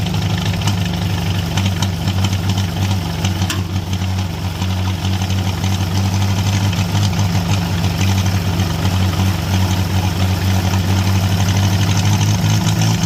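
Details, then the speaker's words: International Harvester B275 diesel tractor started with glow plugs and ether: roars at steady high speed without settling; runaway because the injection pump rod was not pulled fully back to shut off. "as you saw in our last video uh we went ahead got that to turn over and start uh but then it kind of ran away from us so I did a little more digging on this pump and the issue that we had was this Rod was not getting pulled all the way back to shut this off"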